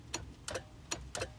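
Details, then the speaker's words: 1989 first-gen Toyota 4Runner with intermittent no-start, failing about one in ten tries; key wiring and starter wires checked good, relay suspected. Sharp isolated clicks about a third of a second apart, no cranking: starter click, no crank. "it will not start every like 10 times I try to start it so it might start right now it started there you guys see basically get one click"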